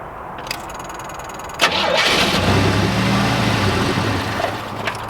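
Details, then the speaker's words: 1987 Oldsmobile Cutlass G-body, carbureted, with an auxiliary gas can hosed to the fuel pump: cranks, catches and runs unevenly for a few seconds on what was left in the carb, then fades. Fuel starvation; owner suspects a bad fuel pump. "Well, I'm almost thinking that this fuel pump isn't any good because it should have fired up by now."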